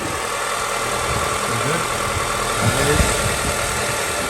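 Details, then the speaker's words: 2007–2009 Honda CR-V after belt squeak repair: belt tension set and power steering pump refitted and torqued. Quiet, even idle, no belt squeal; a little squeal only at first start-up in winter rain. Normal idle. "does make a little squeal when you first start it up, but then again, it is winter and rain."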